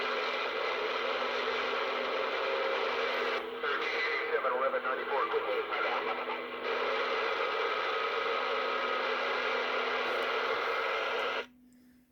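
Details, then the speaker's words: Uniden PRO 500d CB radio from an estate, restored with all electrolytic capacitors replaced and first powered up in years. Steady, even static hiss with faint chatter that cuts out cleanly shows the receiver on frequency, apparently on Channel 19, working normally. "that's the sound I was hoping for so the radio is on frequency and sounds like Channel 19"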